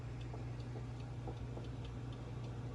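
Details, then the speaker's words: Presto 15 PSI pressure canner on high gas flame, about 20–25 minutes in, no steam yet: light uneven ticks and faint bubbling about three a second over steady flame roar; normal heating. "you can kind of hear it bubbling and ticking. So stuff is going, so not yet."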